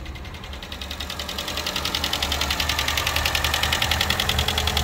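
A quick, even ticking, about three and a half per second, sits over a steady idle, coming from the top of the engine.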